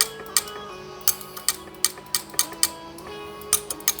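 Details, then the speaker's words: Air suspension valve block on a bagged car, switching with no pressure, rear valve compared to a normal one: sharp separate clicks, some duller; valve sticking, suspected buildup inside; sticking air suspension valve. "it's got stuck again and that's with no pressure yeah I don't know if you guys can hear that so now it's clicking but still not as healthy as that click"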